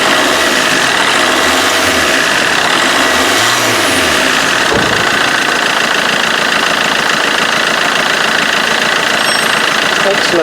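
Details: Vauxhall Corsa D 1.3 CDTI diesel idling after auxiliary belt, tensioner and alternator pulley repair for loud vibration from the left-hand belt side; steady idle, usual light clatter, no belt vibration or flutter.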